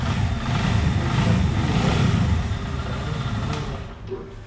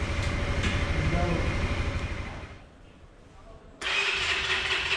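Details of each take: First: CFMOTO 150 NK motorcycle on acceleration: deep, rough engine drone fading as revs fall with hollow knock underneath; piston skirt slap, attributed to high temperature or excess stress, piston replaced. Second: CFMOTO NK 150 single-cylinder after piston replacement for piston skirt knock and coolant change with air bled: cuts out briefly, then fires, steady idle and even rev with no knocks; running normally.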